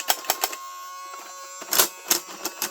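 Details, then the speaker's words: 1980s Tomy Turnin' Turbo toy dashboard whose road no longer moves: with the key turned, a thin high motor whir between clicks and clatter while nothing moves; the owner suspects the motor spindle is spinning freely because its cog has broken off or moved out of place. "Now that high-pitched sound to me, I think could possibly be like the motor spindle spinning really fast, which probably means the cog has broken off or moved out of place, and that's what we're hearing."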